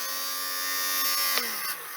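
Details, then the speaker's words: Used battery-operated lint shaver for wool and jumpers, running on C-size batteries from a charity shop: steady high buzzing whir from the small motor, even pitch, winding down smoothly; runs fine. "So, it just basically shaves the lint off, you know, your wool and jumpers and that sort of stuff. That sounds all right."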